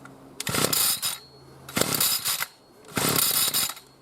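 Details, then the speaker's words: B&Q 25cc two-stroke petrol strimmer, new, just started after six primer pumps: shrill revving bursts about every 1.5 seconds with quiet gaps; screechy running before choke opened. "That's very screechy in there, and then choke open."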